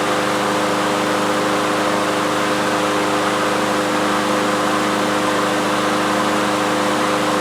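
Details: Troy-Bilt TB360 mower with Briggs & Stratton Quantum engine, unused for 3 years, started with air cleaner off to check automatic choke opening as it warms: steady even drone, no stumbling or surging, normal idle.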